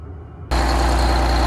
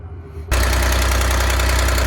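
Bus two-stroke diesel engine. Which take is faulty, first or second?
second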